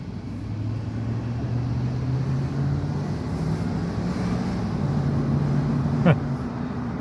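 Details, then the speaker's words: 2005 Dodge Durango 5.7 Hemi V8 accelerating from a dead stop after spark plug and air filter replacement: low, even drone with no tick, the earlier ticking on take-off attributed to misfiring plugs. "don't hear any ticking whatsoever. That's just amazing. It is literally amazing what spark plugs can do."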